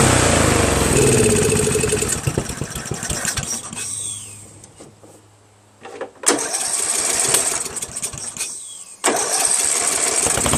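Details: Craftsman 13.5HP mid-engine riding mower with a replacement engine, new starter, battery and key. It runs ragged, fades almost to stalling, then catches in rough bursts, surging instead of holding idle, sounding worse than before. Cause undetermined.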